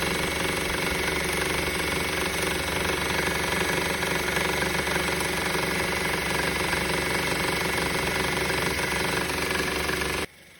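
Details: 2013 Honda Civic idling with a steady metallic rattle that persists after the belt and belt tensioner were replaced; source still unknown.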